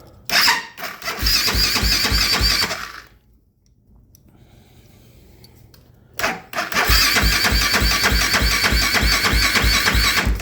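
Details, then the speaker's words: 2008 Kawasaki KFX450R with a starting issue despite new starter, relays, solenoid and switches: two sluggish cranking attempts that never catch; freshly charged battery dying fast, as all three batteries tried have. "That damn thing's dying already, and it just took it off the charger when I went to go grab it."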